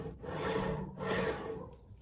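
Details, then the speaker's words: Hornby TFW Mk4 DVT model coach, pushed by hand with DVT and coaches uncoupled to show rolling resistance: soft scraping rub swelling and fading as it rolls; loud rubbing and poor rolling resistance, owner suspects axle boxes or wiper pickups. "You can hear that there's something sort of grinding away. No, I wouldn't say grinding away, but something rubbing anyway. Now that could be either the axle boxes, or it could be the wiper pickups as well."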